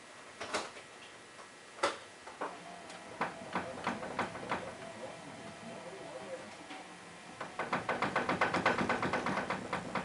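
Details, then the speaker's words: 1998 Ford Contour, about 161,000 miles, car lowered onto its tires while the steering wheel is shaken: dull clunks, then a fast run of knocks near three per second; play from a worn inner tie rod, Moog EV319 replacements bought. "i lowered the car with the weight of the car on the tires and i shook the steering wheel and sure enough i could hear play in the tie rods when i was shaking the steering wheel"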